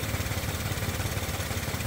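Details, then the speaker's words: Suzuki Karimun Wagon R with double Blackcore, after Blackcore cleaning and a combustion-chamber clean, idling about 700 rpm: a soft, even idle with a light, regular injector tick and no fan roar or shake, running smoothly. "hanya terdengar suara injektor saja yang kencang hanya suara injektor saja setelah suara kipasan hilang yang ada hanya suara injektor sangat halus"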